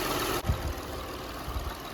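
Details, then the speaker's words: 2006 Toyota Highlander 3.3L after water pump replacement, warming up, timing belt tracking checked: low quiet idle hum behind a brief handling bump, no knocking or ticking; temperature holding, normal idle. "Let her warm up. Make sure that timing belt's tracking like it should. Looks good, sounds good."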